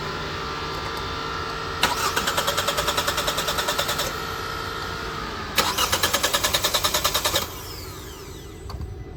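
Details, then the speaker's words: 2018 Hyundai Tucson 2.0 L four-cylinder with crankshaft position sensor unplugged: two bursts of even cranking, about three compression beats a second, never catching; crank no-start from missing CKP signal. "so as you can see the car will not start if the CK the ckp sensor is unplugged"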